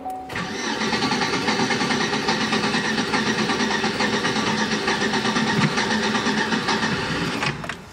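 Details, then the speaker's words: Older Chevy Tahoe V8 with a long-standing check engine light, rough running, running rich and misfiring, cranks about seven seconds without firing on a nearly dead battery and failing starter; uneven cranking rhythm confirms low compression. "We have a compression problem."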